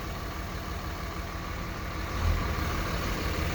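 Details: Cummins diesel at idle: deep uneven lumpy idle with a heavier surge midway; injectors were first suspected, but the cause was a loose fan clutch electrical connector.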